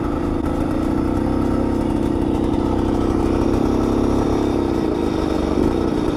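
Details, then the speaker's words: Bultaco Alpina 350 single-cylinder two-stroke on its first road test ride after restoration, faint rapping knock under the exhaust note; rider suspects a low-grade spark plug and considers a higher grade, cause unconfirmed. "yeah it doesn't sound uh it's knocking a bit which i don't like oh it really is knocking isn't it"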